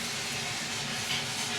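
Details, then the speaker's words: Pressurised gas-heated hot water system with two cylinders and a Vaillant boiler, after replacing the Zilmet expansion tank: with the system still powered down, a steady airy hiss as trapped air bleeds from the open hot tap after refilling, before water flows. "So, the system's still all powered down. So, you can hear that coming out."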